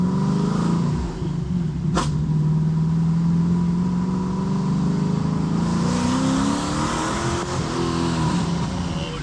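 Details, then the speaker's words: Camaro SS V8 freshly fitted with twin turbos, no wastegate reference, poor tune: uneven stumbling note at low revs, pitch wavering, nearly dying; rough running, owner blames bad tune, transmission also needs work. "Yeah, this thing is just not running well at all."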